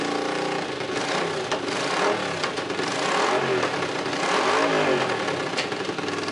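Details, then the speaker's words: Honda CX500 twin running briefly without coolant or radiator: raspy revs rising and falling cleanly with throttle, no knocking or rattling; engine seems healthy despite an exhaust leak at a head sparking. "I don't know if you saw seeing sparks fly out of that head, but it seems to be running."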